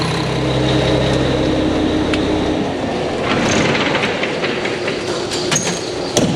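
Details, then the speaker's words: Mack truck diesel idling in the shop after engine reassembly with new parts: deep, steady idle with an even low beat, then drops under shop noise; sounds good, no leaks seen; normal idle. "well Bill she sounds good I don't see anything leaking"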